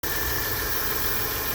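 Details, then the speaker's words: 1998 Chrysler Cirrus LXi 2.5 V6 after replacing the PCM to fix a no-start (new fuel pump and distributor also fitted): takes a few cranks, then idles steady and even with a smooth hum, no misses or knocks. "1998 Chrysler Sir LXI 2.5V6 hear that motor rudder people it was the electronic control molder or the PCM"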